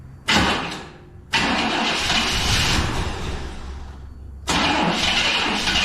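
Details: 1999 Chevrolet Tahoe that sat 14 years, started on three gallons of fresh fuel, showing 60 psi oil pressure and smoking a bit. A rough catch after bursts of cranking, then a loud, uneven run. Engine knocking; the engine is judged blown and due for an LS swap.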